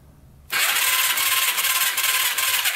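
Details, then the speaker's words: 2006 Yamaha YFZ450 quad: starter spins the engine with a steady high whir but it never fires. No spark, with a voltmeter reading essentially nothing from the stator and pickup coil wires while cranking. "we're not getting any power out of here i've got it hooked up the voltmeter and turn it over right now as you can see"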